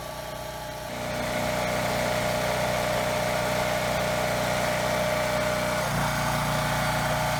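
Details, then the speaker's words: Generac GP3300 generator after blower housing replacement, running with hair dryer as ~half (1500 W) load; frequency 60 Hz no load, ~57 Hz loaded before throttle adjustment: even hum dipping and recovering as load changes, no surging or scraping; normal. "okay so it started pretty well runs well no surging or anything the the Hertz I was right around 60 with no load maybe a little below and under load it was too low"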